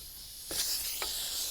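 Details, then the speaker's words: Silicone mold-making vacuum degassing chamber, ball valve closed, compressor unplugged, vacuum hose removed: sudden steady high hiss of air rushing in from the hose, not the vessel; normal vacuum release. "That sound is actually what you hear from the vacuum hose, not from our vessel."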